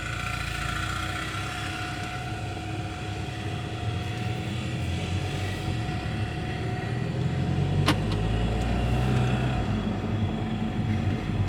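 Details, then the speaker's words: Audi A3 after swap to a junkyard engine replacing one with a spun main bearing, driving: steady drone with thin metallic ringing rattle that almost disappears as speed climbs; loose heat shield suspected, no check engine light. "the only thing I can think of to fix it would be to get rid of the heat shield yeah or let it clear itself"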